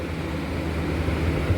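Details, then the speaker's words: Kenmore Cool N Lite window air conditioner (a GE Carry Cool unit) after cleaning and oiling the fan motor: steady low, smooth whir with no scraping or rattle; the fan runs normally. "pretty neat though and fan sounds good fan sounds real good"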